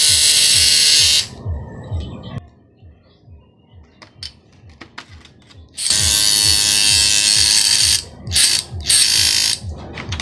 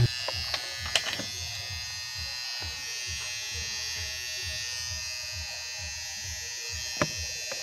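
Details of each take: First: Harsh, rattling high buzz in bursts from a hair clipper whose two blades are loose and chatter against each other; the fix is bending the blade spring outward so it presses the blades together. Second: Hair clipper after fixing noise by bending the blade spring to tighten loose blades; steady, even high buzz running smoothly with a few handling clicks.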